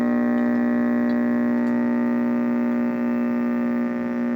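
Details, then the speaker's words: Vintage Zenith vacuum tube AM radio powered up: steady low buzzing hum, louder with more voltage, no station received; caused by failed filter electrolytic capacitors. "So, the only thing it's doing is humming. And the more voltage, the louder the hum."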